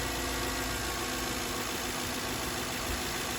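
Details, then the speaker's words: 2007 Toyota Sequoia that had been dying and almost stalled while driving, with the gauge showing 13.93 V charging: steady, even idle hum with no knocking, ticking or hunting; engine idling normally. "But it's fine now. Look at that. 13.93. That's still good. Sounds like, let's let the engine run for a little while."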